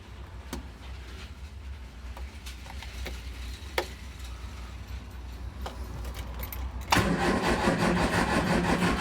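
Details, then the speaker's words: Triumph Spitfire MK3 under restoration, cranking; fuel is present and plugs are wet. Long cranking with a few sharp isolated combustion bangs, briefly catching louder, but it won't run. "i've i heard that thing then fired i think i've ever flooded it or but to hear that combustion bang that was good"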